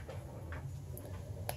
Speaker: I push it again it resets